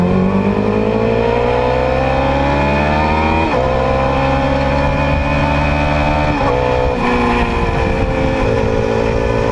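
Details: 2010 Yamaha R6 four-cylinder: revs rise and fall with a rough, uneven beat under the exhaust note instead of a smooth howl; misfire, running on three cylinders, later found to be bent valves in cylinder 4.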